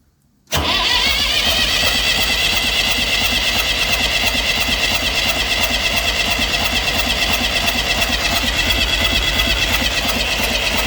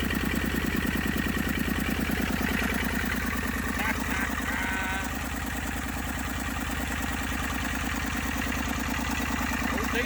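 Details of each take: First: Massey Ferguson 35 diesel tractor, not started in weeks, second start attempt. Water leaks, fuel leak, and radiator needing replacement. Steady, fairly quick cranking for ten seconds without catching cleanly: hard-starting diesel. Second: Massey Ferguson 35 diesel tractor after 20+ years sitting, tow-started in third gear high after starter failed: even, regular chugging at low idle with steady firing beats and no misses; normal running.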